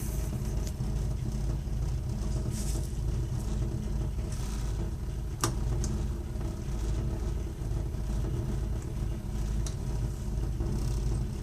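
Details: Burnham Alpine ALP150W gas-fired boiler, three years old, running: deep uneven rumble with occasional faint clicks, heard frequently while firing; rumbling noise, cause unknown.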